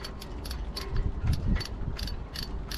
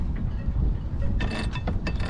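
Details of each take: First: Barient sailboat winch after disassembly and oiling the pawls: crisp, evenly spaced pawl clicks about two and a half per second, no grinding or dragging; sounds better than before servicing. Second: Barient 27 sailboat winch, before servicing, twice previously disassembled: rough ratcheting clicks in uneven bursts with clunky low rattle as it turns; lots of play, works only partly, worn and sloppy.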